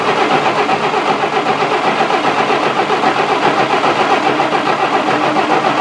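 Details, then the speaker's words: 1966 Canadian Valiant, low mileage, engine not started in 10 years, cranking to build oil pressure: laboured, uneven starter churn about four beats a second, no firing; slow cranking from a weak battery. "apparently the battery i'm using doesn't have much juice in it and this gas is spilling all over i'm gonna fix that"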